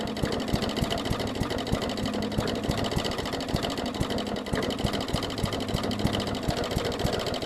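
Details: 2014 Bolens push mower, Briggs OHV single-cylinder, leaky carb needle and seat, fuel line clamped: uneven sputtering beat stumbling and catching as it clears; flooded and running rich, purging excess fuel.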